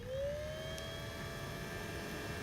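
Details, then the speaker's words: Original 1.0 Xbox: steady loud cooling-fan whir. Disconnecting one fan sounded normal, so that fan probably needs replacing or servicing. "it's definitely one of these fans is here which one it is might even be both a little bit I don't know"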